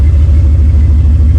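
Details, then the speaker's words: Buggy idling after a cold start, after sitting about 3 months following an overnight swamp burial; probably barely 100 miles since getting it running: deep, loud, steady throb with even pulses, no knocks or misfires; healthy, though a tune-up is planned. "Okay. All right. Well, it started, you know, as you can hear."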